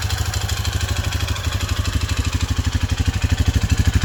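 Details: Honda CT125 Trail 125 with Takegawa 143cc piston and cylinder kit, noise started after 200 miles and break-in. Sharp, even metallic knock on every firing pulse at idle. Owner suspects piston slap; engine knock at idle, unconfirmed.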